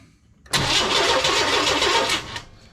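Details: 1998 Chevy work truck with crank-no-start, during ignition testing with 12 volts confirmed at the coil: steady whirring crank for about two seconds that never catches; cranks fine but no spark.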